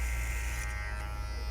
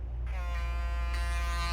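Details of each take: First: Babyliss Pro X T 45 clipper: steady low hum with a fine buzzy rattle from a loosely fitting guard attachment; bending the guard tighter stops it, yet every guard fits the same poorly. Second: Babyliss Pro X T 45 hair clipper with guard attachment fitted: starts and settles into a steady, even buzz with no rattle; guard fits properly.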